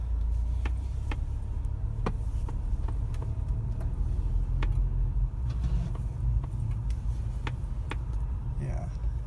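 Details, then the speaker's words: 2015 VW GTI MK7 with DSG at about 44,000 miles: faint, sharp clicks felt and heard behind the steering wheel in the column during slow turns under 10 mph, seemingly at every quarter turn in the same spots, over a low cabin rumble. "okay so I've been hanging my car at lower speeds when I make turns it makes a clicking sound kind of behind the steering wheel and in the column there's three of them just now another three it seems to happen maybe have the same spots"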